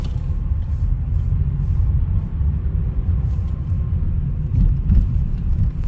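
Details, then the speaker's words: Skoda Octavia A7 idling after about 40–50 minutes running, when rpm drops: deep low hum that comes and goes. Owner thinks it comes from near the AC compressor, but it stays with AC off and is heard in neutral. "так Всем привет прошу послушать звук он гудит но спустя наверное Ну 40-50 минут как машина заведена вот обороты падают он гудит низко"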